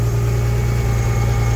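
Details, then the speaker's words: Carbureted Volvo Penta V6/V8 marine engine with a Holley, run just above idle for a few minutes to warm the oil and gear lube before winterizing: smooth, even low rumble with a steady beat, no misses, knocks or ticks. "we're going to just let her run like after a few minutes just above idle let it get the oil and stuff warmed up and the gear lube"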